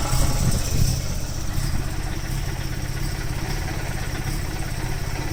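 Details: Nissan 240SX with KA24E engine: lumpy, uneven idle with irregular low thumps and dropped beats, a misfire. The distributor and O2 sensor were replaced and the injectors, ISC and MAF cleaned, with no change. The rattle is the exhaust hitting the driveshaft.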